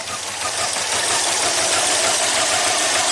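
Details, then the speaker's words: 2005 Subaru Legacy Turbo, 82,000 miles, alternator connector plugged in and revved, system voltage rising: engine stumbles with a lumpy beat about three times a second under a raspy roar, seemingly running on only two cylinders; smooth again once unhooked. "seems like it's only running on two"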